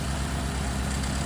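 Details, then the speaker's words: 2014 Ford Expedition with a swapped Coyote V8 on first start after sitting, new oil pump gears, old fuel. With the AC on, the engine lugs down into a low, lumpy, misfiring idle with a faint valve rattle. Owner suspects old, clogged injectors. "Getting cold air, but it really lugged the engine down and now it's misfiring."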